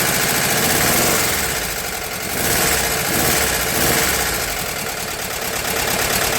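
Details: VW T2 Bay Window campervan, air-cooled carbureted flat-four, first start after refitting the engine with a replaced gearbox bellhousing: busy but even idle with a steady beat and no knocks or stumbles; the engine sounds healthy.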